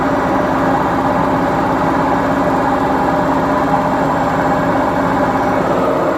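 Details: Beko washing machine, 7 years 8 months old, gives a loud, steady, gritty rumble throughout the spin: worn drum bearings.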